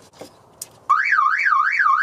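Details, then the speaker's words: 1974 MGB sitting since 2007 and not running: on first connecting the battery, after a couple of clicks a loud siren warbles up and down about twice a second; the car alarm has power and is sounding. "oh my god the alarm's going off what the let me take that off now the alarm might go off again"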